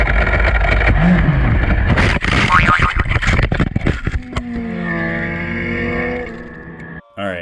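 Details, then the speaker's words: Motorcycle racing downshift into high-rev zone without revs: harsh ragged gear-grinding bursts over screaming engine, then high rev as gear slips out; suspected false neutral, compression test fine, owner also feared timing chain jumping a tooth with valves hitting pistons. "turns on my buddy sim after i got through the video footage like that sounds a lot like gears grinding so i sent it to my buddy and he ended the identical video where he got a false neutral"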